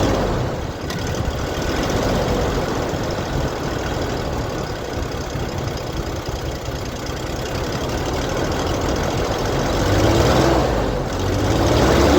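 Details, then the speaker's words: Old Toyota Hilux DLX pickup running for the first time, with old fuel in the rail. It idles unevenly with a loose pulsing chuff three or four times a second. Rough running; owner suspects an exhaust leak around the catalytic converter. "Sounds like I got an exhaust leak around the cat somewheres."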